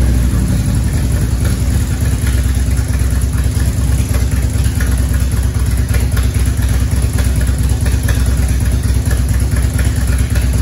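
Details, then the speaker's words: 1994 Harley-Davidson Evolution V-twin, over 70,000 miles, first start after top-end rebuild for base gasket leak: lumpy, even idle with a faint tick from the exhaust; good compression on both cylinders, no engine ticking, running normally. "all right we did it sounds good"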